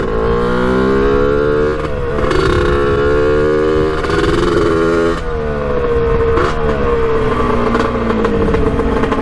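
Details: 1989 Kawasaki KX125 two-stroke on its second ride, needle moved to run leaner and air filter off: revs climb and fall, turning ragged and stuttering near the top end; still breaking up at high rpm, cause unknown.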